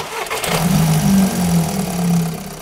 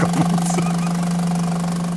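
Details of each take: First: VW after fitting a new EGR valve and clearing fault memory, intake manifold suspected coked: engine cranks, catches and settles to a low steady idle with a faint unevenness; running slightly rough. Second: VW with new EGR valve but recurring faults and suspected coked intake manifold: steady low idle with constant hum and slight unevenness, judged fine though some engines run much quieter.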